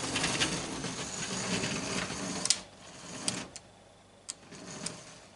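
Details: Juef French model loco with twin motors on individual bogies, tested with top loose: light, even motor whirr, soft gear ticking and occasional wobble clatter from the unfixed top; both motors run smoothly and sound healthy.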